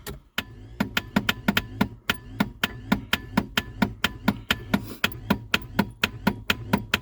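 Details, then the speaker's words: Reliant Rialto pickup, first start attempt in about a decade, only an orange warning light on and nothing else working: sharp regular clunks about four a second with no engine catching; the starter cranks slowly and weakly. "We seem to have a very weak starter. And nothing's working in the car."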